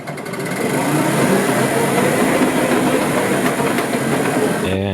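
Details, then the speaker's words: Car driven with tires spinning: irregular clatter and rattling over a rough whirring drive, with a wobbly wheel; axles found to make clanking noise, plus additional clicking; differential spider gears tight but normal; source of remaining noises unconfirmed. "oh my God there's all kinds of wrong in there uh including the wobble but what in the world are all those noises what is going on"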